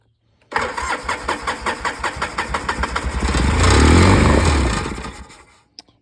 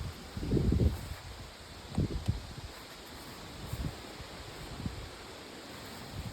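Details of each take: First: Free Polaris 700 quad, first start after checking for spark, carburetor had been fully disassembled: quick cranking catches and revs smoothly with an even exhaust beat, no knocking or harsh noises; engine seems healthy, normal start and idle. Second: Free Polaris 700 quad, running on a weak battery with bad connections and a mouse nest found. Faint starter sounds, then a loud burst of cranking; it turns over but never catches. Owner suspects the fuel pump.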